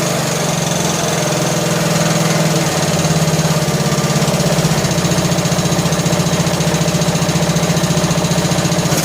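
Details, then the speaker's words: John Deere L100 lawn tractor engine, long sat, just after start-up: quick fairly steady ticking about three a second over idle; loose valve lash that lessens as it warms and when revved; valves need adjusting. "So as it warmed up, the valve lash became less and less noisy. You rev it up, pretty much goes away. So, but we need to adjust the valves, so that's on the list."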